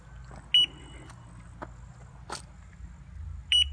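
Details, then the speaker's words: Mighty Mule 350 (GTO) gate opener that starts briefly then shuts down and quits working, giving one short high beep every two seconds, a limit switch error; circuit board replacement planned. "that one beep every two seconds is a limit switch error"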